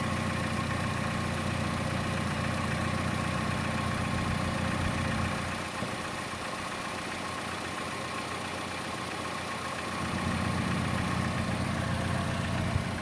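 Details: Chevrolet Cruze at idle, camera moved around the engine: light regular tick about two or three a second, louder than normal engine tick, most noticeable on the belt side; cause unknown.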